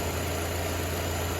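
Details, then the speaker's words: 2009 Nissan Altima 4-cylinder after no-start diagnosis, starter energized with Power Probe: steady low idle hum, even level, no knocks, misses or squeals; normal smooth idle. "now no issue starting starter sounds fine the vehicle itself sounds fine"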